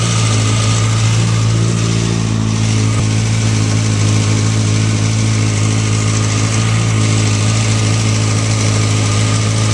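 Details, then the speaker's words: Motorcycle with a manual cam chain tensioner, loosened until the chain chatters: steady idle under a busy metallic clatter of slack cam chain rattle, noisy enough to need adjusting; tensioner then tightened until the noise goes away. "noise so actually you can hear it's rather noisy right now so it actually does need adjusting so I'm going to turn it until the noise goes away"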